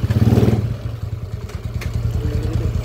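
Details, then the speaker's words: Rough, noisy TMX155 motorcycle engine after overhaul with rebore, test ride in first gear: steady, even low thumping idle with no whine, clutch no longer squealing, runs smooth; old valve guide was cracked and intake side very loose. "Okay test drive natin ulit yan Let's go primera swabeng swabe na mga kao wala n halinghing yung panggilid all goods"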